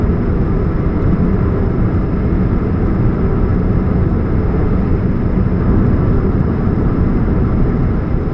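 Constant low drone under the car's run with no knocks or whine, a deep hum from an exhaust leak at the catalytic converter.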